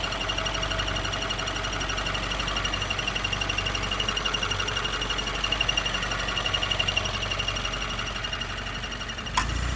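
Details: 2016 Subaru WRX manual, warm engine: light fast even ticking about three per second that stops with the clutch pedal pressed and gets louder and faster with throttle; source not pinned down.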